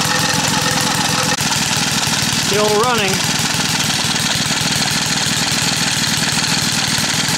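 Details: Small gas engine, staked down outdoors, running with sugar added to the fuel tank to test the myth: loud, steady chatter holding an even beat without stumbling or dying; still running normally.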